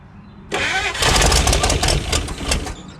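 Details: 1956 Chrysler Windsor, not run in at least 5 years, rebuilt starter reinstalled amid failing factory wiring: starter spins the engine steadily for about two seconds but it never catches; gas was pumping when throttled. Cranks but no start, cause unconfirmed.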